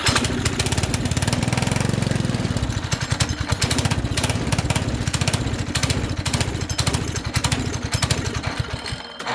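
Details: Small pull-start engine with misaligned pull start; fast uneven putting with a lumpy, pulsing beat and no steady rhythm; running rough. Owner suspects a bad bearing and that the carb needs a full rebuild; not confirmed.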